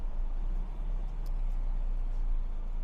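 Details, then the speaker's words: Ford Focus with the engine fault light on and codes for random misfire, cylinder 1 and 3 misfire and EGR flow fault: low, lumpy idle shaking badly, misfire from water in the plug wells shorting the ignition coils. "The car is boring and still shaking. Yeah, the lights are on Now the idle speed is shaking Shaking badly"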